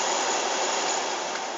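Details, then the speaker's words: VW Polo Sedan, cold car and cabin after a −16°C night, recirculation on: steady blower rush with a thin whistling squeal from the heater fan at higher speeds, gone at second speed. "Скрип печки на холодной машине и в холодном салоне."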